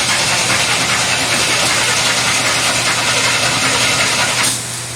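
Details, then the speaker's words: 1933 Buick street rod sedan, sat about 5 years, ignition disconnected to build oil pressure: steady whirring crank about three and a half pulses a second, no firing, then starter stops; about 30 psi oil pressure, normal cranking. "see we had about 30 pounds of pressure that's that's good for a crank"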